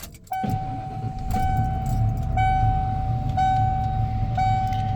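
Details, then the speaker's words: 1994 Ford F-150 XLT, 302 V8, automatic, 81,000 original miles, cold start: starter catches and engine settles into a smooth, steady fast idle with no knocks or misses; healthy. "Let's go ahead and fire this up and you can hear her idle."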